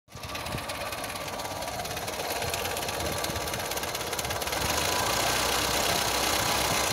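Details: 1997 Skoda Felicia 1.3 petrol at idle: fast light ticking knock, three to four per second, from the left side; owner unsure it comes from the engine itself.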